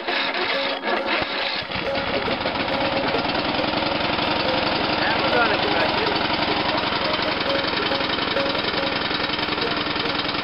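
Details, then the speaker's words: Abandoned free lawn mower, spark plug reinstalled after confirming spark, cranked by battery charger: it stumbles, catches, then settles into a steady, even chugging run with no knocks, burning off fluid put in the exhaust pipe earlier. "I didn't expect it to crank. Burning off the exhaust pipe that I filled on there a while ago. Called my neighbor, let him hear that thing run."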